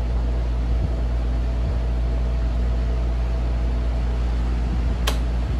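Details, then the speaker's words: Vintage RAKS DF-12TK desk fan (110/220 V) after lubrication, running on speed one: even, constant hum with a steady low drone and no ticking or scraping; the fan runs smoothly and strongly. "Anyway, here is speed one. I'm pretty sure I didn't pay more than $5 for this thing, but it's a pretty good fan. It's pretty powerful."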